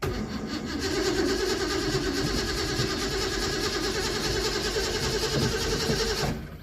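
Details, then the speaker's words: Ford Mustang V8 after electronics damage, no alternator or voltage regulator fitted: starter cranks about three beats a second for six seconds but never fires; crank no start, no spark suspected, later fixed with a newer Duraspark box. "It is trying, but I'm assuming we have no spark again."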